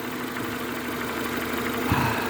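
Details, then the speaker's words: Renault Megane 2 after reassembly, fully warmed to operating temperature: even, steady idle, no shaking, no ticking or knocking from the top end; engine sounds healthy. "работает нормально работает ровно не трясется не колбасится"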